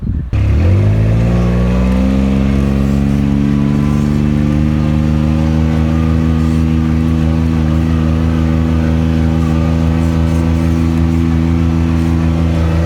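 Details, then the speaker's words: Kubota RTV900 diesel utility vehicle, after hydrostatic transmission repair (charge pump, brass wear plates, relief valve, filters, oil), climbing a very steep hill; climbed easily. Strong diesel drone rising then holding even under hard pull, no surging or labouring; normal running under load. "Well, it climbed back no problem. I think it's the most power this machine's ever had."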